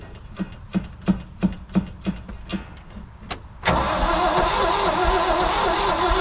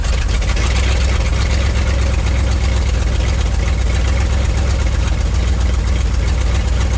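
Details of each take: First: International V345 dump truck, 5-speed column shift, 13,000 miles shown, sitting about 22 years: even cranking about three turns a second with no firing, then a sudden loud rush; cranks but won't start, possible dead cylinder, fuel line dry and fuel pump suspected. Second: Ford dump truck bought at auction, restarted with fresh gas: deep steady even idle rumble, no misses, knocks or surging, good oil pressure, no throttle input; runs smoothly.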